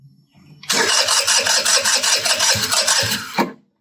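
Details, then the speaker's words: MVP 49cc Chinese scooter, cranking with clutch pulled: quick, irregular chuffs, never catches; it pulls lots of fuel but fuel leaks out the back end, cause unclear. "So, it's pulling tons of fuel, but it's literally just leaking out the back end down here."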